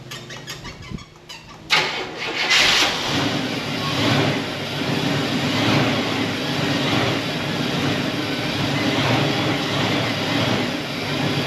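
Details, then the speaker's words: 1974 Buick Apollo with Buick 350 V8, performer intake, after sitting a long time: cranks, catches and settles into a slightly uneven idle with occasional stumble; slight misfire. "There she goes. Well, that was easy. Design went all by herself. It's missing a little bit, but for as long as it's been sitting, pretty much started almost right up."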